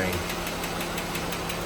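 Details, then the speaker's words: 2018 Jeep Wrangler JL 3.6L, 79,833 miles, bank one, code P21A, before repair: fast, light, sharp ticking about six per second at idle from worn intake camshaft lobes; fixed with a new intake camshaft and rocker arms. "So, this should fix the ticking noise cuz this old camshaft the lobes have been eaten quite a while."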